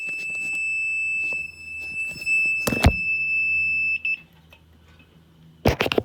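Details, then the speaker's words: 1991 Mercedes 500SL with a cold-start problem, first start of the day, jumper wires and meter on the cold start injector's 12 V line: a steady high-pitched electrical ring for about four seconds. Owner suspects the test wiring. "that was pretty weird this ringing sound when i had the voltage hooked up weird i disconnected that electrical there's something to do with the way i had it wired"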